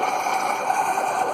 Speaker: You can hear it buzzing away. So I think we've got it.